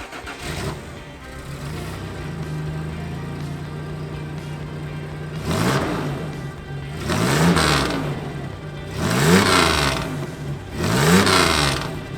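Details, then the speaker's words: 1989 Toyota Pickup after swapping in a used exhaust from the downpipe back and patching muffler holes with exhaust JB Weld. Steady idle, then three clean throttle blips with no puffing or leaks; normal, quieter, sealed exhaust note after repair. "And hey, I think that's a little bit better. Here's what it sounded like before compared to now."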